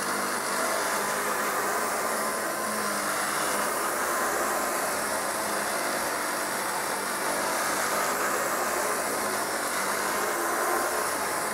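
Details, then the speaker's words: Kirby 560 vacuum running after a new lexan fan replaced a long-broken one: even, high-pitched motor whine with a constant gritty, rough edge from bad motor bearings; brushroll also noisy. "it's still not perfect as you can tell it still has a little bit of very noise in the motor and the brushroll is pretty noisy on it too"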